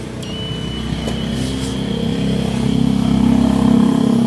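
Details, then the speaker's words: Electric knapsack sprayer: a steady high low-battery warning beep over a labouring pump hum, with a very weak spray and no water coming out; caused by a worn-out battery, fixed by fitting a good one. "Dan alat itu berbunyi bip. Dan ketika kita menekannya, tidak ada air yang keluar seperti ini."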